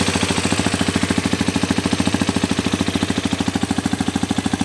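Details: New Hero Xpulse 210 single-cylinder at idle with a steady, sharp tapping on every beat, about three per second; engine knocking, source not pinned down.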